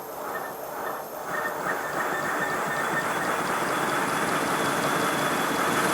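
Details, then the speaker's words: Simplex model steam locomotive with blast nozzle refitted: quick regular chuffs about three a second with a thin steady squeak on top; whistle vanished with the nozzle removed, confirmed an acoustic problem from the blast nozzle. "Yes, it's definitely an acoustic problem."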